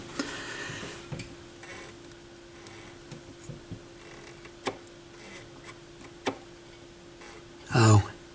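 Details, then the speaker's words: Yamaha YP-B4 turntable, propped on its side during cut/auto-return cycle: faint ticks over low hum, then short louder scrape as the Stewart pimple grips its plate; normal gripping noise, plate possibly had debris. "so here's the plate here's the steward pimp right here and that's what's making that noise which is good that means it's gripping"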